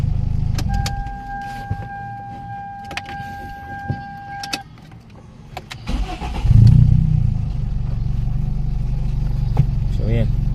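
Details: A Toyota Baby Altis with a 2E engine at a steady low idle after a new carburettor; the noise was masked earlier by a high idle. A light, quick tick from the top end rides over the engine hum: rocker pivot ticking.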